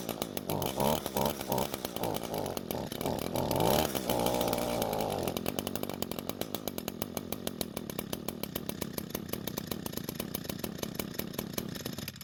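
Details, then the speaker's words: Curb-found Echo string trimmer, small two-stroke, after swapping carb fuel lines: buzzes unevenly then sags into a sputtering, fading idle as if about to quit; engine dying, likely too little fuel from the carb (suspected). "oh so the engine doesn't want to stay running and more than likely it's because there's not enough fuel coming from the carb"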